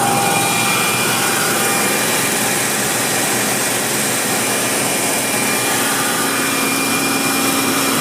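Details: BMW M60 V8 held at a steady 2500 rpm with an irregular, bright ticking that comes and goes, erratic rather than constant.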